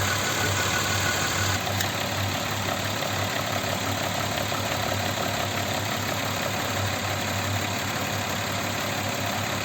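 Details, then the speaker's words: Audi Q7 3.6 FSI VR6 started cold: quiet at first, then a light uneven metallic rattle over steady idle appears and grows as it warms; worn cam phaser with play found. "звук он постепенно так издалека начинает появляется вот уже по мере прогревания оно усиливается"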